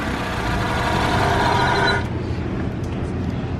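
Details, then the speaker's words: Civic wagon with GSR swap running on first start: steady whirring whine that drops away when the alternator belt is removed, traced to a bad alternator bearing likely needing a replacement alternator. "so that there has a bad bearing in it not the end of the world"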